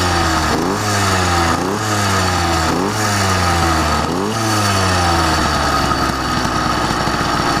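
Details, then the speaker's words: YD100 two-stroke with two-piece cylinder and PWK21 carburetor, being jetted: revs rise and fall with an uneven, burbling, lumpy note under throttle, still four-stroking; rideable, cause suspected, not confirmed. "uh it's got good uh you know uh i'm not going to be pinning it anyway you can hear still four figures"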